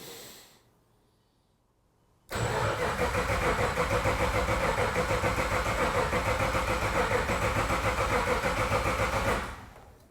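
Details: Lexus IS200 with LS V8 conversion, first start attempt on base ECU map: steady fast starter churn about three and a half beats a second, even and unbroken; engine cranking normally without firing while checking oil pressure.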